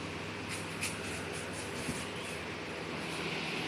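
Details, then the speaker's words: MD model F-A055R evaporative air cooler fan whose motor would not spin and groaned, after repair; smooth steady motor hum with even air rush, quiet and no groaning, all speeds and swing running normally. "จะวิ่งปกติปิดเสียนะครับเงียบไม่ไม่ดังนะครับ"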